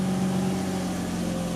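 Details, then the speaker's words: Mazda RX-8 rotary after engine rebuild, running once work was finished; smooth, steady hum holding an even note with no rattles or misses, idling properly. Oil temperature, oil pressure and water temperature gauges not yet working. "so as you can see the baby's running"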